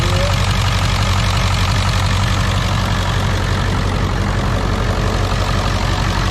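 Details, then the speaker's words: 2001 Ford F-450 7.3 diesel after IDM, wiring and injector repair for dead cylinders (codes P1316, P1271/P1274/P1275): once injection control pressure builds past 500 it runs; deep, steady, even idle clatter, no misfire; normal idle after repair. "once she builds past 500 she's gonna run and she seems to be running pretty smooth right here"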